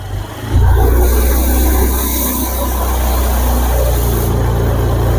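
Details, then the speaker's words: 2021 Honda Scoopy that stumbled under throttle with no MIL lit, after the DTCs were cleared and the ECM reset with a scan app; the engine revs smoothly with no stumble, now running normally. The title points to a CKP sensor error. "Ini Scoopy sudah terasa normal. Kita coba ngeber. Oke, ini sudah normal."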